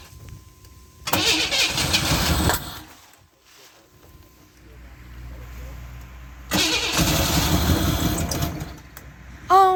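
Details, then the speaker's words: 1991 Camaro 3.1 L crank-no-start after replacing the corroded distributor ignition module and rotor: two bursts of steady cranking with no catch; it only hits on starting fluid, so fuel pump pressure is suspected; cause not confirmed. "Alright, so we've got to hit and fire off some starting fluid."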